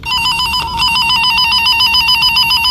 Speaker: Pag nag-red, shorted. Pag hindi, hindi shorted. So hindi siya nag-short. So ito yung tunog niya guys.